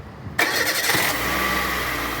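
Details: Peugeot 207 after repair of a heavy bang from the starter motor at start-up (starter found held by only one bolt; second bolt fitted): starter engages cleanly, engine catches almost at once and settles to an even idle, no grinding or clunk.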